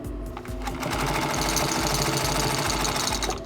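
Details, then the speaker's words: Singer 112 (112D180) industrial sewing machine after tightening its leather drive belt: quick, even needle clatter at about three stitches a second, smooth and steady with no belt slap; the belt is now taut and running right. "nice exactly what it's supposed to do it's nice and taunt there's no trouble now"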